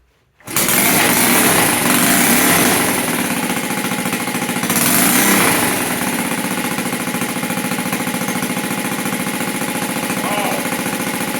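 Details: 1971 Honda CT70 with a newly fitted clone carburetor, idle and mixture not yet adjusted, choke on: catches right away and settles into a steady, fast, slightly busy single-cylinder beat; running fine.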